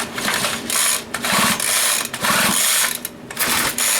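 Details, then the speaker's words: McCulloch string trimmer pulled over on a snowy cold day before its cold start: repeated ratcheting recoil pulls that feel stiff, each with a firm, steady chuffing stroke, showing good, even compression; spark is present. "There's good compression there. I'll tell you that one."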